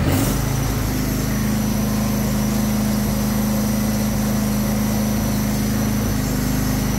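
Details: Husqvarna 22V46 riding lawn tractor, sold as smoking with suspected head gasket, battery 12.5 V: smooth steady drone at constant speed, no squeal or rattle from the belt area; idling normally.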